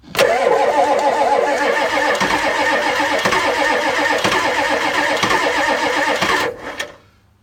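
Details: 1984 Ford F-250 6.9 diesel, sat unrun since November 2016, block heater plugged in, about 55-60°F, glow-plugged: cranks steadily about four turns a second with only one cylinder occasionally catching, then dies; no start, owner suspects air in injection system.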